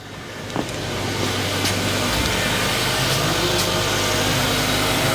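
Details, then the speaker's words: 2016 Kia Optima Hybrid after engine and steering rack replacement (old engine threw a rod and caught fire), started in ready mode: engine catches and settles into an even, steady idle with no knocks or misses, running smooth. "She's running pretty smooth."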